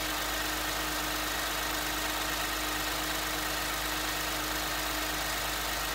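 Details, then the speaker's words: Lexus after repairing cracked exhaust near O2 sensors with exhaust tape and sealant: even, steady idle with constant low drone, no puffing or ticking; no exhaust leak either side, normal idle. "no exhaust leak at all either of them"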